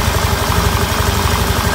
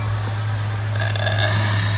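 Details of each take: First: 2015 Honda Beat scooter after repair of a failed crankshaft bearing that had caused grinding in the engine: a steady, even, low putter at idle with no rough noise. Normal idle. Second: 2015 Honda Beat eSP scooter at idle, rough grinding/whining noise from the middle of the engine, not the CVT or magneto; steady low hum with a faint rough whine; crankshaft bearing whine.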